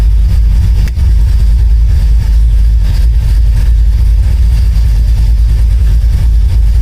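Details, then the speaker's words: 1972 Oldsmobile Cutlass carbureted V8 after installing an electric fuel pump on a switch, fuel pressure just under 7, 14 volts: fires without touching the gas and settles into a deep, steady, even rumble, a normal idle. "when i flip the switch with the fuel pump it gets fueled the carburetor right away it fires up now without even hitting the gas"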